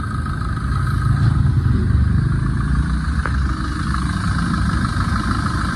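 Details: 2011 Tata Vista diesel, 124,000 km, after replacing timing chain, water pump with failed bearing, and fixing failed AC compressor bearing and loose intermediate shaft bolt: even steady idle, smooth low hum, no knocks, rattles or whine; normal idle.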